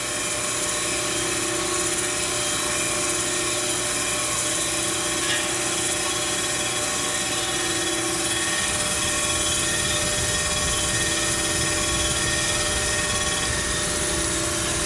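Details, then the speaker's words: Plunge grinding a Ford 460 crankshaft journal: the stone just touching the old journal radius makes it ring, heard as a steady high-pitched ringing whine under a constant hiss. This is normal while approaching zero. "just touching that uh radius you can hear it we'll go down till we hit the zero"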